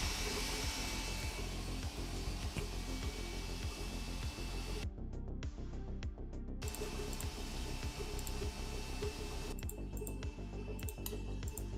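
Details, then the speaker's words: Sovol SV06 Plus 3D printer printing, audio unfiltered. Soft, steady motor hum with light stepping patter as the head moves, and no scraping or grinding. Normal printing noise, reasonable for its price range. "don't know about you but that sounds perfectly reasonable for a 3D printer in this price range"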